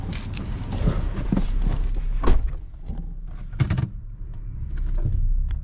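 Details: Nissan Frontier D40 (2005-up) driven over bumps after wrapping the hood latch in three turns of electrical tape: only dull thunks and road rumble, the front-end hood-latch squeak is gone.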